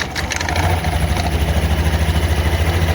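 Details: Honda automatic scooter CVT after replacing rollers and slider rubbers, pulley nut tightened with a 19 mm wrench: low, even idle throb with no rattle or grind from the belt drive; clattering from the roller housing before repair, now smooth.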